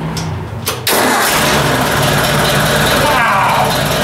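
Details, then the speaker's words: Ford 800 tractor, first start after replacing the points and condenser with electronic ignition. It cranks briefly, catches almost at once and settles into a steady, even idle: normal start and idle. "that's perfect doesn't that sound well that nice quick and easy"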